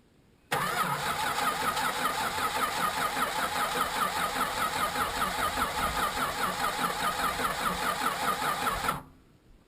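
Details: Chrysler Valiant VJ, sat 25 years, running on parts pinched off an XD Falcon: engine catches quickly and runs evenly about eight seconds before cutting out; healthy while running.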